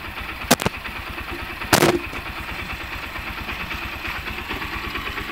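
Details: Honda CB125 single-cylinder engine after rebuild with a new Makoto connecting rod and timing chain, idles steadily and evenly, with two loud claps early on.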